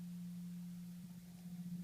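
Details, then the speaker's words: 2012 Toyota Camry Hybrid cabin at idle/EV mode: steady low hum near 200 Hz from OPT7 H11 LED low-beam bulbs, disappearing when the low beams are switched off. "and there's this humming sound in the background. Now we'll turn off the low beam headlights. The humming sound is disappeared."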